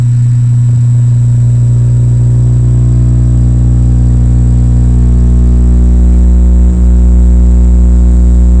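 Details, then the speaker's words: 1965 Silvertone Model 4236 tape recorder after restoration, mic about 1 in from speaker: loud steady low mains hum with faint high whine, level shifting as the hum control pot is turned to find the sweet spot. "right now you can see the signal the hum signal coming up that's hum you're seeing right there let me turn this pot and we'll see if we can hear any more hum when I turn it"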